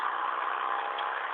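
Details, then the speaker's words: 2005 Ford Expedition 5.4 3V, after replacing VCT solenoids (had codes P0012, P0022, over-retardation, rough ticking idle, stalling when warm): brief steady even engine hum, no misses or ticks; runs smooth, normal running. "so yeah trucks fixed running smooth still running"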